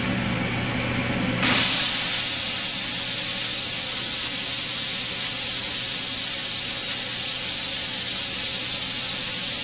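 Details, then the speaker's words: Autoclave steam sterilizer after about half an hour of sterilizing: a sudden loud, even hiss starts as the release valve opens and holds steady without sputtering; normal steam venting. "so now i'm ready to release the pressure when i do this it will it will fill the room with stench so i will turn on the exhaust fan before i flip the valve"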